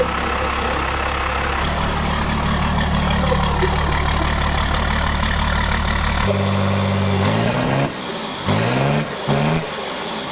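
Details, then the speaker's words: King Fred's brand-new Cummins diesel first start for camshaft break-in, coolant filled, no leaks: catches and settles into a steady even low drone, revs up and down cleanly; runs healthy. "the engine runs and it's late at night so we're going home"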